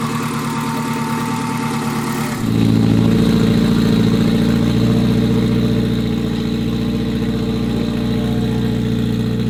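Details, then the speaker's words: Acura RSX with stock K20 and completed turbo kit, first startup after build with fresh oil and coolant: cranks briefly, catches cleanly in about two seconds, settles to a smooth even idle with no knocks or misses; healthy start. "we did the first startup everything went really smooth the engine sounds really good"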